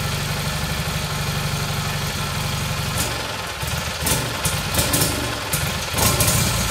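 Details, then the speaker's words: Rebuilt single-cylinder Kohler Magnum M18 from a Cub Cadet 1882, first start in two years on a test stand, targeting about 1400 rpm with about 48 psi oil pressure: it chugs unevenly at about three beats a second and surges at times; running rich, like a rich bog, the carb needs adjusting. "sounds good a little rich huh"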